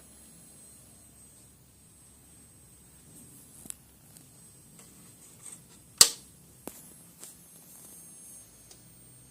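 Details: XFX PRO 750W Black Edition modular PSU, a week old, with the PC off: a faint, steady, very high-pitched standby whine with a few sharp clicks.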